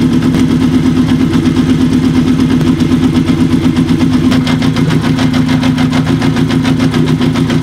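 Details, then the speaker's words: Kawasaki KZ750 after fixing a vacuum leak with new carb boots, mixture being adjusted on cylinder three before carb sync: fast, pulsing idle that smooths and steadies as the mixture is corrected. "already we can hear a change a nice change starting to happen already and that's even before we do a sink"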